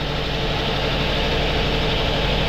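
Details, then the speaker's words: 2002 Toyota Altis with new spark plugs, battery jumped as it was flat: heavy, shaky, lumpy rough idle with strong engine vibration like a misfire; mechanic suspects ignition coil or intake manifold vacuum leak; also reported overheating. "start yan dapat matining po ang andar niyan kaso sobrang palag niya mga sir yumayanig yan sobrang vibration"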